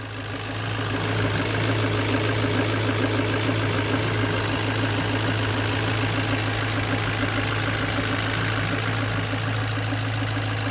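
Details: Ford Focus Mk1 Sigma petrol engine idling after a fresh oil change and leak check: smooth, steady idle with an even low hum and light belt whir, belts being the loudest noise, no knocks or misses. Normal idle.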